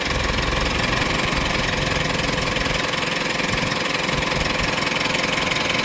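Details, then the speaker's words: Mitsubishi diesel at idle during ECU injector learning, with the bonnet open and fuel pressure cycling up and down: steady light clatter at about 160 beats a minute, slightly rattly but even; rattle and rpm rises are normal during this learning. "So all the calibration the mapping on the ECU that practicing the teaching the injector to work accordingly. So that's why you will hear the engine um sounds maybe rattly maybe RPM go high sort of stuff."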